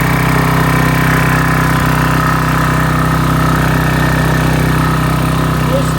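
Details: Briggs & Stratton 8.75 single-cylinder engine off a Toro Timemaster, test run after reassembly: steady, even beat at constant speed with no misses, knocks or surging; runs healthy, though some smoke was noted afterward.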